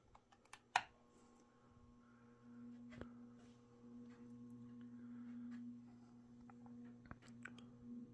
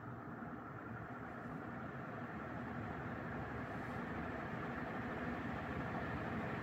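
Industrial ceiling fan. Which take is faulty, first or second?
first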